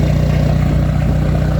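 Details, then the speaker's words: Peugeot 205 TD diesel, forged and prepared, after 1,200 km running-in service, oil-bath PES injection pump, 1.5 bar pump pressure, pump stop solenoid rewired: steady even clatter at smooth idle, no smoke, running perfectly; stop solenoid then cuts engine properly. "Pas une fumée. Ça tourne nickel."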